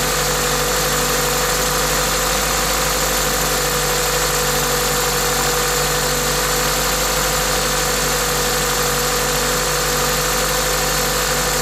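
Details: Toyota 2ZZ-GE engine at idle with an aftermarket induction kit: smooth, even idle with a steady intake hiss from the induction kit over it, no knocks or ticks; normal, healthy engine noise.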